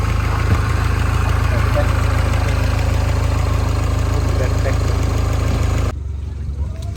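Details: Mini Cooper S R56 after timing chain and tensioner replacement: steady, even idle with a smooth low drone and no ticking or chain slap; the engine sounds healthy.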